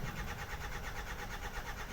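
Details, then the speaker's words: 2008 Hyundai Santa Fe 2.2 diesel, about 320,000 km: starter churns in a rapid but uneven fast-slow beat, engine never catches; cam/crank correlation check done, starter issue suspected, not confirmed; cranks without starting. "Ours is all over the shop, as if it's going fast and slow and fast and slow and fast and slow. Starter issue, whoops, there goes some paperwork."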